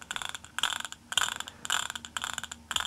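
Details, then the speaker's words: Simson Schwalbe M500 engine, rebuilt some time ago, gearbox removed: scratchy, ratcheting bursts about twice a second. Gear wheels show excessive play on the shaft and the bearings are suspect; cause not confirmed. "ja ich weiß nicht ob wir das hören könnt da hört man schon was"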